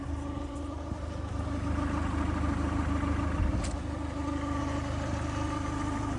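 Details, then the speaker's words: 2010 Peugeot Bipper 1.4 HDi diesel idling: an uneven, fast clattering rhythm with a steady low drone, never heard before. The owner wonders if a belt is the cause, and the van has no power. Cause unclear. "know if that's a good sound or not a belt or something I swear it's never made that sound [Laughter] before"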